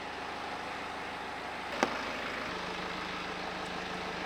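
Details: BMW E91 LCI diesel, used replacement engine with new timing chains; steady even idle, no knocks or misses, faint blower hum partway (AC lowest, heat max); engine runs pretty good, normal idle.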